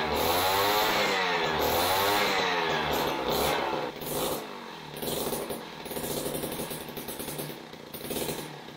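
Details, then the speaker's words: Jiffy Model 30 ice auger, unused for several years, running on its carburetor: a high, buzzy two-stroke that wavers, then runs roughly on its own. The slight breaking up is four-stroking, showing it is not running lean. Normal running. "I can pretty much guarantee that was running off the carburetor we don't want to have it run you know wind right up uh you can hear that kind of breaking up just a little bit that's four stroking and that means that we're not running lean"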